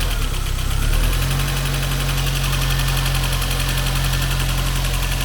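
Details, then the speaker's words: Mercedes 190E 2.3 16v Cosworth Evo with FuelTech, dead cylinder: rough idle with a fast, steady metallic ticking from the cylinder head. Timing chain is good, and the owner expects to fit a forged piston and connecting rod. "We are missing a cylinder here. Now the project is more complicated. I think we will have to open the engine and put a piston and forged connecting rod to fix it. Marcelo Pires, Yuri, are you ready for trouble? It will be left for you! There's a noise in the head."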